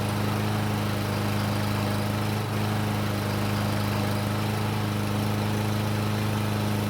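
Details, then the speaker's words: Self-propelled Murray mower that wouldn't start even with fresh gas, now running on its old fuel, so fuel wasn't the cause; starts after a couple of pulls, smooth even single-cylinder drone with no misses; normal running. "so it did take a couple of PS but it finally started and ran the best part is the self-propel works and the engine sounds great"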